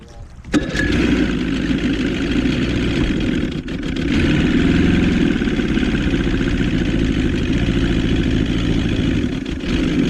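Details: 1977 Johnson 115 outboard on the water fires up and settles into a lumpy, irregular beat with power dips; ignition misfire, owner suspects two or three coil packs, only one replaced, and plans new CDI and coils.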